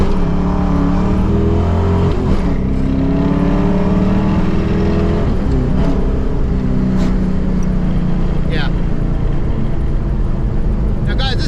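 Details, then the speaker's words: Fox-body Mustang V8 with GT40P heads, GT40 tubular intake, long tubes, stock throttle body, after fixing a bad vibration and power loss; 1-2 pull, revs climb hard through gear changes cleanly, no stumble or shake, strong torque: healthy. "Like, I can tell it's faster than two-tone, and it pulls good. It makes great torque."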